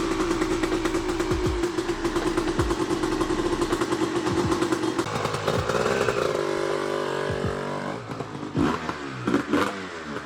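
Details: Honda CR250R two-stroke, first start after years of sitting with a fresh top and bottom end rebuild, on premix: rings out on throttle, then stumbles as revs drop and won't hold idle; owner suspects the carburetor idle adjustment.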